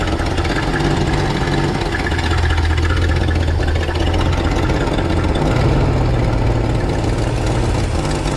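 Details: 1968 Ford F100 pickup V8, carburetor just adjusted and thermostat being installed after poor acceleration on road test, warming up after start; steady even low rumble, no misses, knocks or hunting; normal idle.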